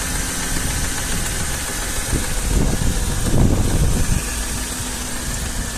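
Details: Mercedes M113 engine at cold start: idle carries a deep, uneven knocking about four times a second that swells briefly, cold-start knock of unknown cause.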